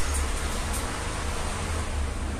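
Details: Small Vencool fan (3 µF capacitor) that would not switch on, tested on its speed settings after diagnosis; blown fuse found: steady whoosh of air over a low even motor hum, no rattle or scraping; runs smoothly.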